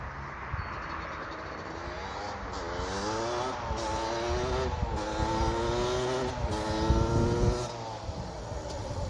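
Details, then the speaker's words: Suzuki LT250R two-stroke ATV being ridden: revs rise and fall but stutter and crackle unevenly under throttle, breaking up badly with an odd noise; owner suspects the main jet size is wrong. "Yeah, so I don't know if you can hear in the video, but it says it's kind of breaking up pretty bad. So we got to see what's going on. Also, it's making a little bit of a weird noise."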